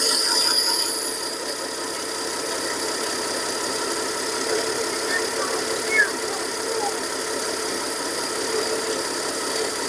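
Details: 1953 Ford 4x4 old six-cylinder on a cold start at about 38°F, gravity-fed gasoline and no radiator fitted: the engine catches and settles into a steady, even run with no misses or stumbles, sounding healthy.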